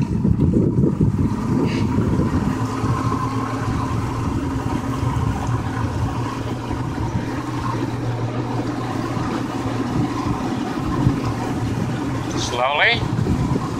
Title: 2000 Johnson 150 won't go past 2000 RPM